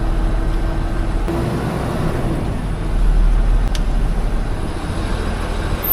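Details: 2007 Mitsubishi Fuso Fighter FM260 with a 6M60 7.5L diesel, started after replacing knocking fuel injectors while air pressure rebuilds: a steady low idle with soft, even clatter and occasional air-system hiss. It runs evenly.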